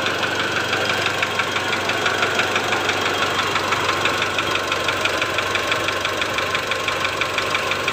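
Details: 2008 Mitsubishi Strada Triton GLS diesel at idle: steady idle with a sharp tak-tak tapping knock, reduced about 50% but still present with the cylinder one injector disconnected; diagnosed as piston slap on cylinder one.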